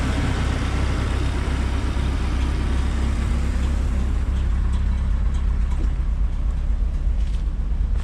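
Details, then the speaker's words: Sonoma with a blown head gasket, idling not yet at temperature after half a bottle of CRC head gasket repair was added to the radiator with water only: deep, uneven, loping idle that is missing, with slightly colored exhaust smoke. "You can see the smoke coming out of the back, slightly colored in the air. Then you can hear it missing."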